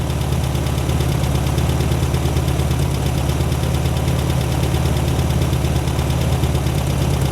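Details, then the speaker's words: 1972 VW Super Beetle, first run, still smoking, owner believes it is running on carburetor fuel with the gauge reading empty: steady, low, even thrum at idle, about three beats a second, no knocks or stumbles; normal idle. "she's still smoking that's running on the what's in the carburetor i believe god just sounds good man"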